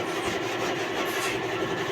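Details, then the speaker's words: Suzuki Multicab engine with the valve cover open, after the low oil pressure fix and a valve clearance readjustment: fast, even, light ticking with no heavy clatter. Valve train noise reduced to normal. "So, okay na. Nabawasan na yung ingay."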